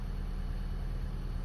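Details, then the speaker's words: 2015 Honda Fit after its 90k service (VTC spring, valve adjustment, walnut-blasted intake valves, new drive belt), engine bay: smooth, steady idle that sounds different, with less ticking than before; the remaining ticking is the injectors. Normal idle. "Oh yeah, so that's it. Yeah, it sounds good. It does sound different."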